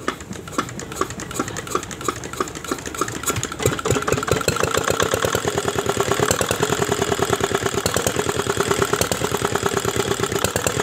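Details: R175 single-cylinder diesel, rebuilt after a shattered bearing, thumps unevenly with sharp knocks and no clean throttle response even after timing adjustment and bleeding air, with a little smoke from the crank hole; this points to a worn connecting rod and piston pin.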